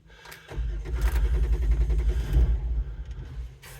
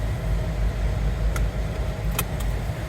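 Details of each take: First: 2007 Jeep Wrangler JKU that won't start unless both front seats are occupied. With about 80-100 lb of bricks on the seat, it cranks, fires into a ragged two-second rumble, then dies. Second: 2007 Jeep Wrangler JKU (a seat-occupancy no-start issue), running after the battery had been disconnected: a low, steady idle with an even rumble, no knocks or ticks; revving like normal.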